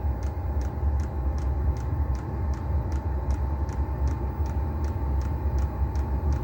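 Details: Chinese diesel heater on trial run, exhaust not bolted on, doors open for ventilation, warming up: steady hiss and roar of the burn chamber with constant mid-pitch whine and pump ticking about twice a second; normal combustion.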